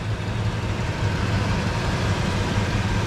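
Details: 2003 Ford Ranger 3.0 V6 idling with code P0443, before EVAP canister purge valve replacement: an even, low idle that holds steady with no dips or surges. A carb-cleaner spray test found no vacuum leak.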